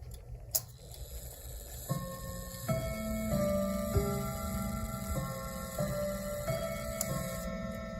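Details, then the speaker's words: Westminster chime clock, chimes possibly self-correcting after being off: two clean four-note phrases over steady tick, proper half-hour Westminster chime. "So that's half an hour after."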